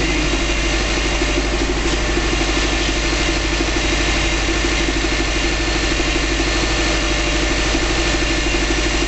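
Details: 2005 Subaru Legacy GT flat-four, first start after a DIY engine rebuild, no leaks seen: steady, even idle with a smooth low burble and no knocks or ticks; normal idle.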